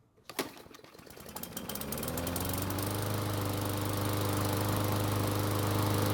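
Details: Murray mower found discarded, after maintenance with compression improved but oil not yet changed: one pull, then it catches and settles into a steady, even putter at constant speed; running clean and healthy.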